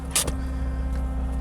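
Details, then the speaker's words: 1984 Isuzu Impulse barn find, just revived with tank components reinstalled and first drive onto trailer: loud steady high whine over idle; owner suspects the fuel pump screaming, unconfirmed. "what is that noise you hear that is that your fuel pump is that my fuel pump pretty loud screaming"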